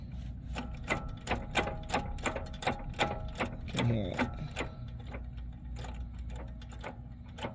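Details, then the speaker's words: 2013 Nissan Maxima CV axle with a damaged boot, before replacement: steady clicking two to three times a second over a dry grinding, in time with the wheel. Worn CV joint. "as you can see my CV axle on this side is dead"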